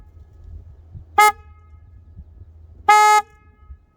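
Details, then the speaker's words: Honda ADV350 scooter at about 3,338 km after six months: aftermarket horn, fitted to replace the cheap-sounding electronic stock horn, gives two short blasts with a clear, full, steady tone over quiet traffic; working properly. "제가 클랙슨 혼을 바꾸고 나서는 소리가 아주 좋아졌습니다 자 버튼 눌러 보겠습니다"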